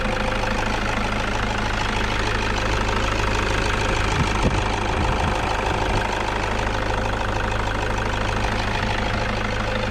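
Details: Toyota Vigo pickup at idle: rough, uneven whirring rattle from the front of the engine; failed alternator overrunning (freewheel) pulley, also stopping battery charging and lighting the warning lamp; fixed by replacing the pulley.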